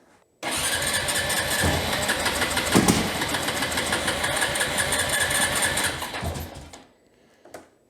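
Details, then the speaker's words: Honda TRX350TM Rancher ATV, poorly serviced, filthy air filter, smokes a lot: starts and runs rough with uneven rattling clatter over single-cylinder beat, then shuts off; abnormal engine noise, cause unknown. "It sure sounds like something fishy's going on."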